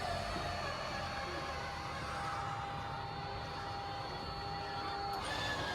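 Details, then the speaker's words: Schwintek RV slideout before repair at Lippert: electric motor strains and slows under load with a steady whirring drone, pitch sagging as one side binds and bogs down while the far side runs ahead. "okay here's the problem we're having with our slide out hear how it's bogging down"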